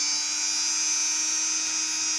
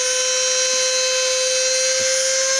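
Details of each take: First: Cheap mini drill after a homemade fix, a small nail through a drilled hole locking the speed potentiometer: high thin whine holding one pitch; the knob no longer shifts and the speed stays uniform. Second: Cheap non-brand mini drill: steady high-pitched motor whine. Vibration moves the speed potentiometer, so from medium or lower speed the drill creeps up to maximum on its own. Fixed later with a drilled hole and small nail.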